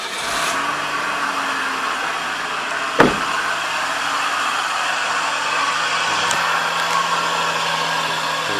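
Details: 2006 Suzuki Wagon R idling with the fan belt on: a steady, rough growl from worn water pump and A/C compressor bearings, found by checking the pulleys with the belt off. The alternator was fine; both parts were replaced.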